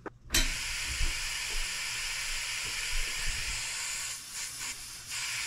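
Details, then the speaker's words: Antique brass walking beam engine on air after a new slide valve rod and steam chest cover: a sharp steady hiss rises as the air comes on, with faint thumps, from an expected air leak at the top valve-rod gland, which is not yet packed. "we're leaking now our slide valve just went ahead and caught and if you can see down here it's bubbling you can't see it so we do have a leak at the top but that's expected because our packing nuts right here"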